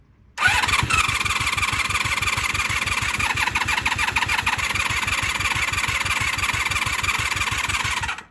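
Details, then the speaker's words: 1996 Honda Magna 750 VF750CD after new spark plugs and coolant, cranked on choke: even starter cranking for eight seconds without a single catch, so the engine turns over but won't fire. "Trying. Trying, but not firing. She's trying. You can hear it."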